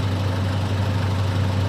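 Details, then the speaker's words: 2000 Mitsubishi Pajero 2-door, Japanese import, idling during A/C refrigerant recharge: steady low idle hum with slight extra load drone, no squeal or rattle; compressor kicks on and runs normally. "So, you definitely hear the compressor kick on. So, that's really good news."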